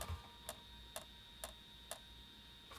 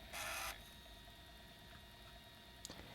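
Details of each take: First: PS1 console with a disc inserted: sharp clicks about twice a second over a faint electronic whine while the disc does not spin and the console boots to the disc menu; the fault is in the disc drive, with a broken connection or weak laser. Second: PS1 after repair (laser resistance reduced from about 616–626 to 496): brief whirring seek then quiet steady spin hum, disc reading normally, previous weak-laser clicking gone.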